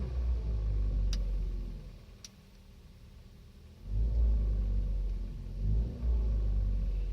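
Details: 2015 Kia Rio, engine rumble rising and falling with revs, faint irregular knock underneath and a couple of sharp ticks; engine knock of unknown cause.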